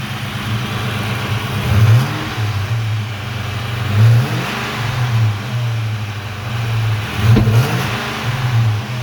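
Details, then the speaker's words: 1996 Mustang GT with a rebuilt Cobra engine under 1500 miles old (forged rotating assembly, aluminum block, Cobra B heads and cams, tuned): throaty V8 idle with clean blips, no misses or knocks; sounds healthy. "she's pretty throaty. Sounds pretty good."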